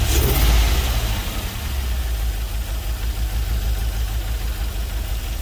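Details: LS-swapped GMC Vandura, first start after ECU flash: rough, lumpy V8 idle, uneven low thump about three times a second, running on five cylinders; owner suspects a couple of injectors not firing; misfire at idle.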